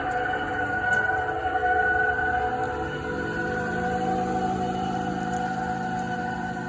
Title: Toyota Highlander Hybrid making horrid screeching sound.